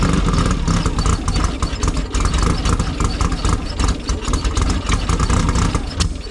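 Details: Silver Volkswagen air-cooled flat-four after correcting new spark plug wires to the right firing order: catches and settles into steady idle with a brief rev, running properly; smoking, oil still leaking.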